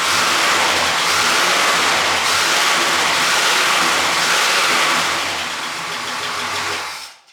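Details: 1968 Pontiac GTO, automatic, just fitted with a fiberglass OPGI fan shroud: loud, steady V8 rumble with a blip of revs that torques the engine, then settles; no scraping or ticking from fan against shroud, runs clean.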